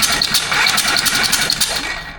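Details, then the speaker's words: Hercules W2000 Wankel rotary motorcycle with the flywheel loosely fitted. Rapid mechanical clatter as it is kicked over, fading with no catch or firing. There is no spark, and a corroded points lead is suspected. "no. This is a Yamaha one. It's a points checker. This will tell us if our points are opening and closing."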